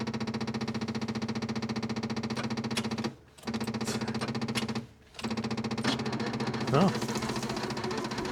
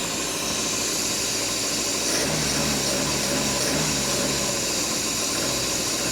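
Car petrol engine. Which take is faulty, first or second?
first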